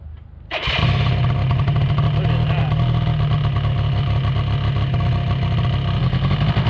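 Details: 2005 Polaris Predator 90 quad, sat for a while, after carburetor air screw adjustment and a new battery, choke on: starts first try and settles into a steady, even low putter with no hunting; normal idle.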